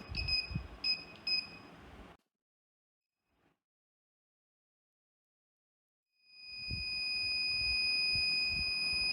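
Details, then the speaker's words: VLF metal detector powered by a 9 V battery, found to have only a bad battery, with beep and a switchable vibrator motor. Three crisp high beeps, a silent pause, then a steady high tone over metal; signalling properly. "इस model में beep के अलावा एक vibrator motor भी है, जो इस push button को ऑन करने से बीप बंद हो जाती है और वाइब्रेशन चालू हो जाती है।"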